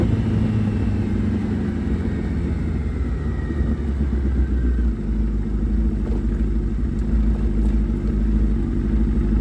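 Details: Suzuki Hayabusa with a built motor and aggressive cams, on a road test after cleaning its clogged fuel filter; before, it only reached about 7–8,000 rpm. It pulls cleanly and builds revs toward 11,000 without cutting out or flattening, under a steady road rumble. Normal acceleration to redline.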